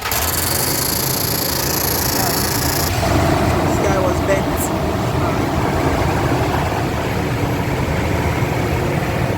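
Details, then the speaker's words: Toyota 1GR V6 (4Runner) after replacing all six spark plugs and coils and straightening a bent pipe: even, steady idle with no stumble or skipped beats, running smoothly with no misfire and check engine light not blinking. "a misfire there is a misfire the check engine light should be blinking it's not blinking"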